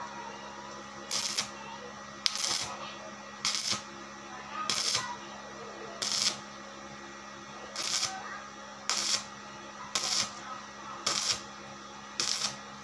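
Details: Daesung ARC120E 900 W stick welding transformer, over two years old, welding hollow steel: short bursts of crisp, even arc crackle about once a second, no sputtering or sticking; clean, healthy arc.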